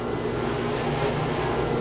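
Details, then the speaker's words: Chiller's chilled-water pump shaking badly, with its copper lines shaking too. Loud, constant droning roar with a shaky rattling undertone at steady speed. The strainer needs cleaning out, and there is also a leak. The plan is to shut down and clean the strainer. "Making a lot of noise. You see it's shaking. What's happened though, they got a strainer right here. This needs to be cleaned out."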